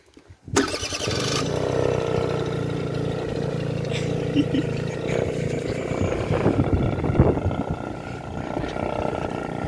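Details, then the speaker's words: Peugeot Kisbee injection scooter that did nothing on ignition, after replacing a blown fuse: quick crank, catches at once into a steady buzzing idle with no misses or knocks; normal start and idle. "t hop et là attention attention attention attention magie magie lecoester y marche"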